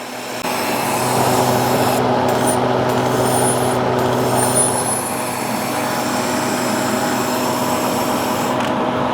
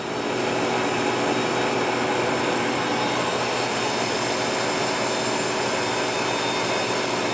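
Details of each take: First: Harvest Right freeze dryer (2021) functional test, vacuum pump on shelf: steady airy hiss over pump's even hum as air was sucked back through the drain valve left open; closing it fixed the vacuum leak. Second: Harvest Right freeze dryer (2021) vacuum pump on the lower shelf during the functional test: steady, even whir with a hiss from the open drain valve, no knocks or surging; pump running healthily.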